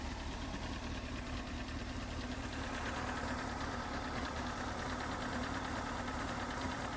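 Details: Honda CBR 954RR at idle: light, fairly regular tick about 140 a minute over even inline-four idle, loudest from front near exhaust manifold, softer cold since oil change, builds as engine warms and with rpm; source unknown.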